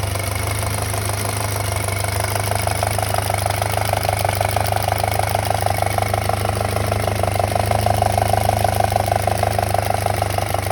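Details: 2007 VW MK5 GTI 2.0T FSI BPY engine idling, close-up: a light, fast metallic rattle at about two ticks a second; owner suspects the small cam-to-cam timing chain and plans to replace the chain and tensioner.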